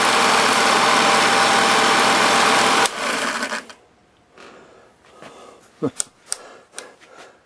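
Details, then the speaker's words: 1946 Victor model 40B projector mechanism running at sound speed with amplifier off: busy, even clatter of many gears for about three seconds then shutting off; motor sounds okay, normal running. "And uh the motor sounds okay."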